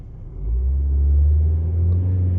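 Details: VW Golf TDI diesel on OEM engine mounts, interior microphone: deep smooth steady drone rising and holding around 2,500 rpm, no knocks or rattles; vibration actually more balanced at revs; normal.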